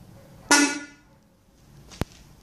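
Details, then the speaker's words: 1998 Chevrolet Kadett horn sounding weak and low, a thin single-note honk with only one of the paired horns working; loose wire/connector found after gearshift work. "Puder escutar um som meio xoxo, né? Meio para baixo."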